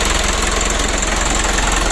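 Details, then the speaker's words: Mitsubishi 120 PS Ragasa diesel, first minute after restart following injection pump and nozzle work and fuel-delivery adjustment, fixing engine oil diluted with diesel fuel: even, regular clatter, no stumble or roughness; normal idle. "kita coba dulu kita hidupkan lele di satelit untuk mesinnya sudah hidup agak menit pertama"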